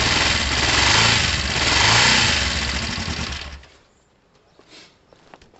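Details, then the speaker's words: Kawasaki ER5 twin, first start since the incident, running on choke: even steady beat, no misfires, no smoke, then shut off; sounds healthy, oil near the bottom line. "Sounds fine, no smoke."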